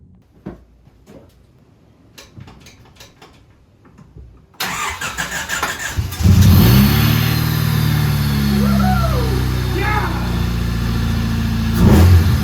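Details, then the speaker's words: Budget Honda Civic EG build, first start after stripping and reassembly, cooling system not yet filled, clutch and power steering unbled: catches first try and settles into a steady, even idle with no knocks. "wo she fired up bloody first bloody pot I knew it"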